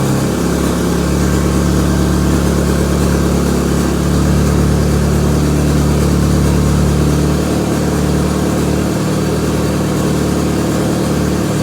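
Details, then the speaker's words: Mk2 Scirocco converted to rear-wheel drive with a 1.8T 20-valve engine, at first start. It settles into a steady but fast idle with an even drone, noticeably high; oil pressure good, air-fuel ratio reading around 20. "listen to that really something a little bit high is really high so yeah she's alive she's running and running not too bad actually"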